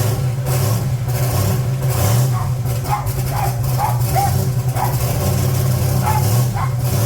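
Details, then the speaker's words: 1980 Trans Am Gen 1 small-block Chevy, blow-through carburetor turbo, cold start after valve seal replacement with engine in car, not run for a few days: catches quickly, steady even low rumble, no knocks or misses; less smoke; normal cold idle. "This thing starts right up though. That's a cold start. It ain't been started in a few days."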